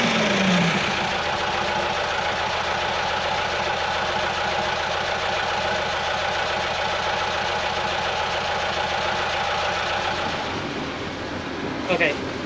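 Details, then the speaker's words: Sailboat diesel after replacing the fuel injectors and lift pump, leaking coolant and blowing blue smoke: steady clatter with a slightly uneven beat, about three to four pulses a second. One cylinder is suspected of not firing; not confirmed. "I think one of the cylinders is not firing correctly. It sounds like it's not running 100% smooth."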